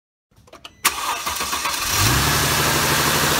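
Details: 2009 Mercedes-Benz C350 W204, M272 engine, cold start after overnight parking: metallic rattle for about five seconds over rising idle; owner suspects timing chain tensioner worn or lacking oil, before replacing it.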